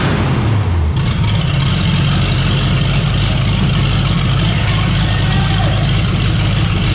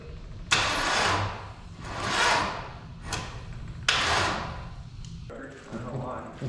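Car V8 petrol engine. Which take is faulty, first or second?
second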